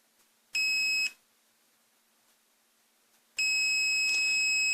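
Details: Treadmill inverter controller board repair, multimeter test across a capacitor (stripe side minus): steady high beep, a short one then a longer one of about 1.5 seconds, ending cleanly as it charges and discharges; capacitor healthy.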